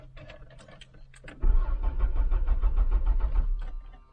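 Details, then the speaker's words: After some clicks, the starter spins the engine with an even chug for about two seconds at a good, healthy cranking speed; normal cranking, engine does not fire. "well that sounded healthy"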